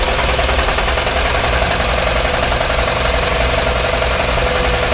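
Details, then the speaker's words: 1987 Grumman ice cream truck engine started: heavy, rapid, constant knocking like a jackhammer over a rough idle; cause not found, owner considers swapping in a Cummins. "Oh big-time knock what's that about buddy this hmm probably a up sellers do yeah sound like a jackhammer though"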